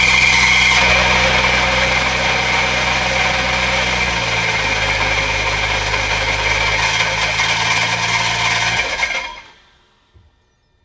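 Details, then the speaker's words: BMW 135i with N54 engine, first start after engine install, oil primed first: engine catches and runs with a harsh metallic scrape, then shuts off; not rod knock, flywheel or transmission/torque converter suspected, unconfirmed. "all right guys as you guys saw the car actually started so the engine actually started up but from what it sounds like it kind of sounds like we have a flywheel"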